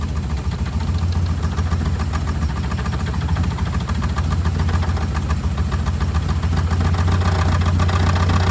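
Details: 1962 Austin Healey 3000 BT7, first cold start in a 50°F room after engine, head and carb rebuild, choke slightly out: the engine idles with a fast, light metallic rattle over a low rumble. The hood hinge is tapping the body.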